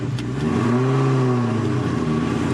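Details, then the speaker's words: Built, cammed 2003 Cobra with a supercharger and Borla Atak exhaust, fitted with new pulleys and a green V-belt. The belt gives a steady buzzing hum, louder than a regular belt. This is normal, not a fault. "it sounded like the car was making a weird noise turns out the green v belt is just really loud compared to just like a regular belt and so if you get a green v-belt and your car starts making like a buzzing noise almost it's the belt"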